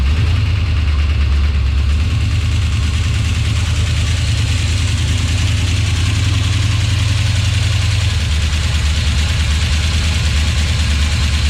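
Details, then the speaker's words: 1970 Duster with Mopar 360 V8, after tear-down to fix oil leak, about 20 degrees and windy: deep steady idle with even low rumble, no knocks or misses; something unidentified, possibly balancer grease or felt; running well. "but uh so far so good and just running damn good it's freaking cold"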